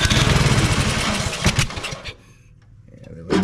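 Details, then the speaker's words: Troy-Bilt Storm 2420 snowblower (model 31AS6KN2B23), Huayi carburetor, customer-reported no-start: on starting fluid/carb cleaner with choke it fires, runs briefly, stumbles and fades; suspected carburetor or fuel-related issue, not yet confirmed. "do that some we know that it fires up if it gets fuel to it carburetor or fuel related issue at this point"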